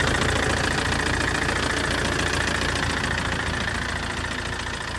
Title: Clicking noise sounds very bad and loud after the accident